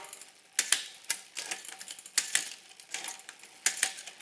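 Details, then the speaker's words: Bicycle front derailleur on a three-ring crankset, shifting from middle ring to big ring after cable tension adjustment via barrel adjuster: crisp light clicks, brief chain rattle, then quiet running; clean normal front shifting. "And cable tension is set, and I feel good about that."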